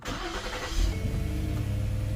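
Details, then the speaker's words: Lincoln MKX V6 two days after a new timing chain kit: a quick crank catches at once and settles into a smooth, even idle with no chain rattle. It starts cleanly with no engine lights. "Starts good. Oh, hell yeah. No engine lights."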